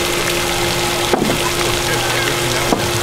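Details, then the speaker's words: Water pump after replacement of the failed unit, tested with the pipe pinched and no pressure tank fitted. Pressure now goes over 50 psi, which it did not before; the old pump sounded growly. Steady, even hum with a couple of handling clicks: normal operation. "But it's getting all the way up. It's going over 50. Wasn't doing that before."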